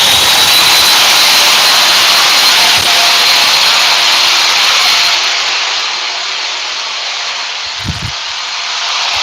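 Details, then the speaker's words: Table saw run during a wire nut versus Wago connection test: loud, steady, high-pitched whine with a fast even beat of about three per second; it runs unusually noisily, cause unknown. "Table saw's got a beat and I can dance to it. Why is your table saw that loud? I think it's angry."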